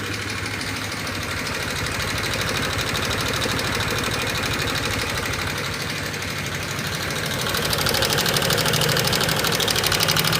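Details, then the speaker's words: 2018 Honda Vario 125 FI scooter at idle, light check before any engine teardown: fast, even light ticking, about three per second, from the front of the engine over a smooth idle. The complaint is a rough, ticking engine. Valve tappet tick. "pada suara motor Vario 125 FI ini terdengar suaranya menggelitik ya teman-teman gelitik-gelitik seperti itu jadi pada motor Vario ini suaranya gelitik-gelitik gitu teman-teman ya"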